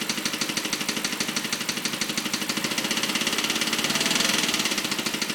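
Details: BMW 545 at idle: a fast, light ticking at about two and a half per second rides over the engine; clicking noise at idle, source not pinned down, cause suspected but not confirmed.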